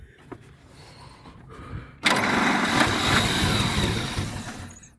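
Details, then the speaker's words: 1927 Pirsch fire truck engine, first run since 1994 on cruddy old spark plugs: catches after cranking and runs with an uneven, lumpy, wandering beat, then dies. Rough running needs carburetor adjusting. "looks like I got some carburetor adjusting to do oh well yeah that's closed all the way that's not gonna work"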